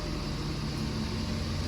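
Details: Ford 6.7 Powerstroke diesel after idler pulley replacement, started on a 37°F day after sitting over winter: steady low idle with even rumble and no squeal or chirp from the belt drive, the belt squeak fixed.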